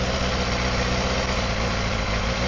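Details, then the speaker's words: Honda CBR250RR MC22 four-cylinder after a carb sync: smooth, even buzzy idle with no skips; start-fluid retest shows all four cylinders drop equally, firing cleanly. "see number one went down now. Two the same, three the same. Four the same."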